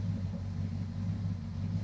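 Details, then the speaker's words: Crew Cab Charger engine start: a lifter knocked and ticked two or three times at first, then a low steady even idle rumble with no ticking from the top end; an oil gallery suspected plugged. "So, you guys wanted to hear it start. She still starts. She still runs."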